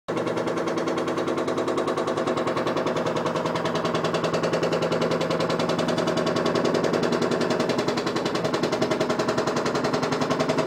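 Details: Washing machine makes rapid, fairly regular banging, about three to four hits a second, throughout the run; persists after replacing two vibration shocks; cause unknown.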